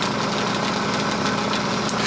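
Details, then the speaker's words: Small, possibly two-stage air compressor; steady motor hum with fast even pumping patter as pressure builds, no grinding or heavy knock; normal running under load. "Now I did it, now it's making noise."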